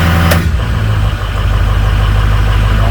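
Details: 2006 Ford F-250 6.0 Powerstroke diesel, just after wiring an upfitter switch as a high idle switch (parking brake applied): steady, even low rumble settling to smooth base idle with no knocks or misses; healthy idle.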